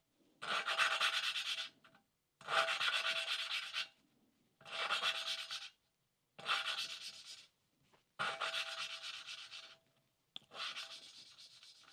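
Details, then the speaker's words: 1988 Suzuki GSX-R1100 valve lapping, recorded on a separate microphone, with the valve and guide oiled: six even, soft rubbing strokes with no gritty catch; the grinding has smoothed out and gone quiet, so the valve is seated. "the idea with this is the you'll hear a grinding sound that should smooth out and go very quiet that's what we're looking for"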